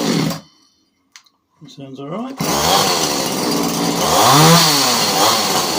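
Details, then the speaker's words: Alpina/Alko Champion 38cc chainsaw after carb clean and broken tank pipes replaced, high and low screws set 1 1/4 turns out, started with choke: fires and revs cleanly with throttle; normal running. "There we go. Alright, so back and running again, which is great because it's a really nice saw to use."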